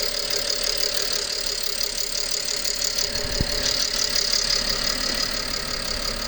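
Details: 2011 BMW 325i with N53B30 engine, new coils, plugs, oil and air filter, cylinder 6 misfire the day before: idle with a sharp click near 0:10, then an uneven hunting beat lasting minutes before sorting itself out; rough idle of unknown cause.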